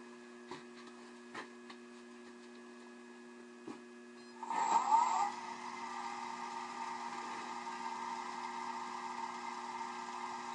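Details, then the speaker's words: Lathe turning an off-centre black walnut blank about 4¼ by 2⅝ inches at 1,000 rpm: after a few taps it spins up to a steady, even hum with only a soft rumble. Normal running with the off-centre blank. "okay that doesn't seem too bad at all so I'm going to try speeding it up a bit"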